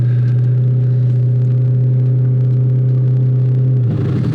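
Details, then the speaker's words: Audi B7 S4 with catless 3-inch downpipes and catback exhaust, at idle: deep, smooth, even burble with steady low tone and no rasp, then a small shift near the end; healthy free-flowing exhaust. "this sounds really nice. Is your exhaust catted or not? Yeah, no cats. So it's the way to go."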